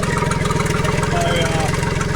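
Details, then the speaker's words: Tohatsu MFS 40A jet outboard at idle, about 45 PSI, fuel screen half full. It hesitates and sputters from half to full throttle. A steady idle with fast even pulsing and faint whirring from the recently replaced low-pressure fuel pump, whose noise the owner dislikes; a pinhole fuel-line leak was later found. "But listen to that. That is the low pressure pump right there, and it's making a noise that I don't like."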